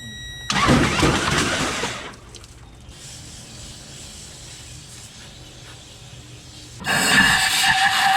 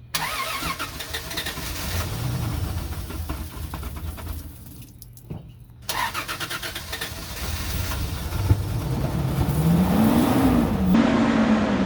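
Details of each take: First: 2004 Toyota Tundra 3.4L sunk at a boat ramp, water in the oil; two bursts of quick, hissy cranking with no firing or compression beat, the flooded engine spun over with the spark plugs removed. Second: 2004 Toyota Tundra 3.4L after sinking at a boat ramp, with most of the water drained from the fuel. The engine catches after cranking, then settles into an even idle with a couple of rev rises; it sounds healthy and smooth.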